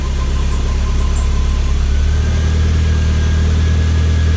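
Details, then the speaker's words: 1991 Toyota MR2 Turbo, on jack stands, first start after oil change with 4 quarts: deep steady idle steps up slightly then holds smooth, no knocks or squeals, no leaks; normal idle. "let it idle for a little bit. Sounds good."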